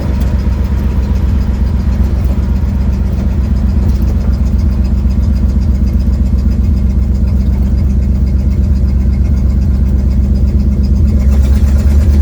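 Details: 1972 Ford Mustang driving home, phone in the dash, before repair: deep rumble with a fast, loose puffing beat about four per second under the engine note, from an exhaust leak.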